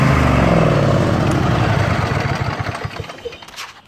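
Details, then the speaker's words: Craftsman YS4500 tractor, Briggs & Stratton 22hp OHV Intek twin, restarted after sitting a couple of years, jumper pack attached: runs well choke out, terrible choke in; uneven, loping, sags then fades; carburetor restriction from sitting suspected. "So, choked out, runs well. Choke in. Runs terrible. I go down to almost all the way on."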